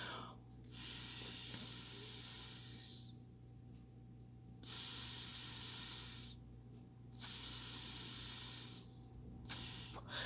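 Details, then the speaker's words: Knockoff Mikuni VM-22 carburetor off the bike, float level check by blowing air into the fuel hose: steady airy hiss through the open float needle valve, cutting off as the float rises and seats the needle. "you hear that hissing that's the air which would be like gas going through the carburetor"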